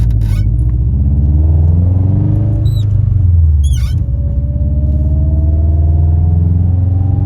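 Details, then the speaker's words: Car driving after new transmission mount installed: deep engine rumble with loud transmission whine climbing in pitch as speed builds through the gears; owner finds the whine louder now. "the transmission winds so loud now it sounds kind of cool like I don't know I kind of dig that sound"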